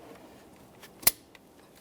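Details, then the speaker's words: 2009-2014 Ford F-150 5.0L V8, shown on a 2013 XLT, installing a new coolant hose connector: a single sharp click as the locking clip snaps home and the connector is fully seated. "Once you've heard that click, double check, make sure the clip is completely seated in the fully inward position."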